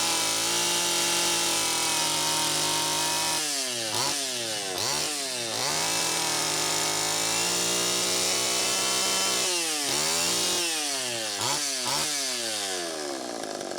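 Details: Homelite Super EZ chainsaw after repair (loose intake block/reed valve screws tightened, gaskets sealed, new crank seal): it holds a steady high idle, snaps to full revs and drops back cleanly several times. Normal running.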